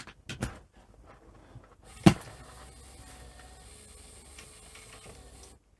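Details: Panasonic NV-V8000 VHS deck, first power-on after installing a replacement deck: a sharp mechanical clack, then a quiet steady motor whirr for a few seconds as the mechanism cycles through start-up; sounds normal.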